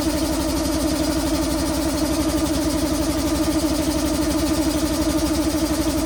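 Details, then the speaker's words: Robot boxing machine's small single-cylinder petrol engine, sat dormant about a year on old stale gas, pull-started with electric-start battery dead: chugs evenly at fast idle, steady unbroken putter while warming up, normal running. "warm up a little bit, burn some of that old gas, and then we'll check on the airline."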